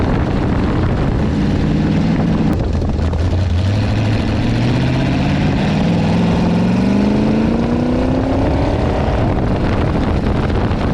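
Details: Car driven on the road: droning hum rising and falling with road speed, loud noise on throttle up and off; owner suspects something loose in the gears or a tail shaft vibration, unconfirmed.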